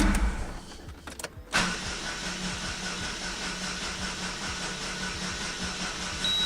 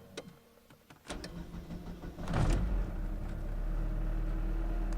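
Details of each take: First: Daewoo after refitting the starter with a replacement solenoid: starter spins the engine at an even, rapid churn for about six seconds, never fires; owner suspects flooding; cranks but won't start. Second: Daewoo being serviced, restarted after it failed, likely flooded by an immediate restart: a few clicks and a short crank, then it catches and settles into a steady low idle; a normal start.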